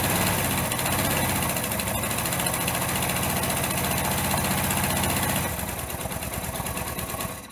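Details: Rebuilt engine's first start after missing tensioners and snapped head bolts, side plate off and loosely assembled: fires and settles into a quick, even idle with steady mechanical clatter, no knocks or misses; running fine.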